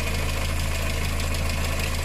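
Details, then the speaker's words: VW engine with timing chain, idling: a fast, light tick over the engine hum. The hydraulic lifters tick on water-contaminated oil from a failed head gasket, which typically goes at 100,000–130,000 km; the timing chain is quiet. "diese ist immer wieder her an den tickern wenn wasser durch die hydro stöße fließt also mit wasser vermengte öl marca das nicht die steuerkette ist ruhig"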